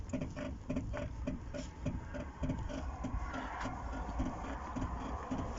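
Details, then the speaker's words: Zotye T600 rear suspension while driving, the squeak appearing after a wheel change and a lift: a faint, rhythmic squeak repeating under twice a second over road rumble, from a dry rear height sensor linkage. Rear height sensor linkage squeak. "вот скрип значит появился после того как я заменил колеса"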